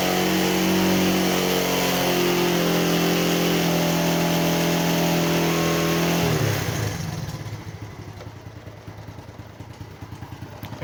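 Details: Small single-cylinder motorcycle after topping up its engine oil and warming up. Revs steadily, then settles lower and quieter with no timing chain rattle, as oil has reached the automatic chain tensioner.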